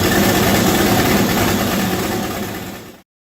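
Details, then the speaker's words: V8-swapped Chevette, first start, radiator filled with water, mass airflow sensor unplugged: fast steady exhaust pulse about four beats a second, deep rumble, no knock or miss before shutoff; engine idle. "we also unplugged the mass airflow sensor so you'll hear what it sounds like now with this setup on here"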